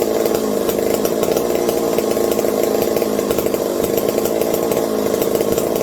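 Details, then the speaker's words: McCulloch 740 chainsaw after coil gap fix and swapped spark plug: constant high-pitched two-stroke buzz holding speed without sputtering; runs well. Owner hopes no air leaks; loose carb linkage wants to hold about quarter throttle and may run lean. "She's a runner. Good sounding one too."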